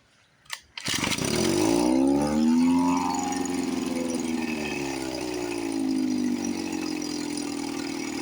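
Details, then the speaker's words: 1954 Johnson 5.5HP two-stroke outboard, revived after about 60 years with carburetor rebuilt, no thermostat and head cold, fuel bulb hand-pumped with no pressure tank. Catches after a couple of pulls, revs up, then settles into a steady, even run: normal running. "Sounds sweet."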